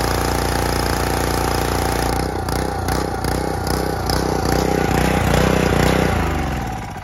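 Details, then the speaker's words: Excell XR2625 pressure washer after replacing a cracked, leaking pump with a new one; the pull start catches in about two seconds and settles into a steady, even chug, running cleanly and spraying properly again. "and that is how you fix a pressure washer in about 20 minutes so a brand new pump looks a little different who cares because it works like a champ"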